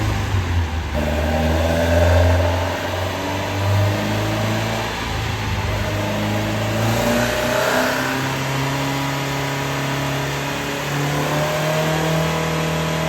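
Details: Scrap Vauxhall Corsa B track car with freshly rebuilt C20XE engine on carburettors, on the dyno after carb tuning; strong, even note climbing and holding through the revs, no misses, pops or knocks. Made 210 hp, no leaks. Normal under load.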